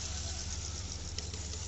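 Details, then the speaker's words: Hyundai Aura CNG with a rough, uneven idle that hunts and vibrates on a dead cylinder. Check engine light is blinking but no fault codes are stored. The No. 4 spark plug is black and the No. 4 ignition coil gets no current. A new coil fixed the misfire. "बदल कर check करते इसको friends देख सकते नई कइल fit कर the है"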